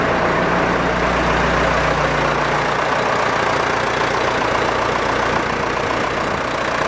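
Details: Massey Ferguson Super 90 tractor, Perkins diesel, first test run after new head gasket, planed head, new fuel shutoff valve and rubber fuel line; loud even clatter with a little throttle, settling to smooth idle after about three seconds; normal idle.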